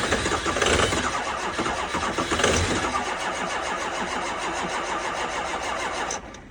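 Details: 2005 6.0 diesel at 15°F in New York, first start of day: starter churns with steady rhythmic chug, never catches, cranking stops; cold no-start despite two batteries and jump pack, almost went.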